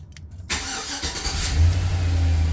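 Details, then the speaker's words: Silverado truck that had ABS/airbag/battery lights, dead gauges, windows and no start, after unplugging the aftermarket radio: quick crank, catches within a second and settles into smooth steady idle; starts normally. "Fires right up."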